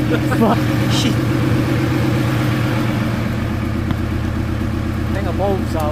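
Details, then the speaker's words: VW T4 van, old engine refitted, first start after two years: engine settles into a steady, even idle with a firm low rumble and no knocks or misses, running cleanly; normal idle. "out look at that well there we go she is [Music] alive she's alive oh that was nice to hear"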